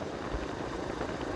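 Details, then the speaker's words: Kawasaki KLX150 after new cylinder block, replacement carburetor and repaired loose CDI socket contacts, road test in fifth gear: steady even engine drone under wind, no stumbling or misfire that occurred before. "Ayan, fifth gear na to. Try natin sa fifth gear. So nung dati nung hindi pa napalitan ng carp ay parang kumaka-jute siya. So dito wala na."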